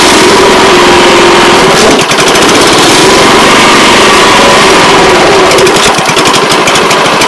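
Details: Older Honda Harmony 215 SX mower, 140 cc, after sitting outside for years, running after carb cleaning: loud, steady, even rapid firing beat holding speed without stumbling; normal running.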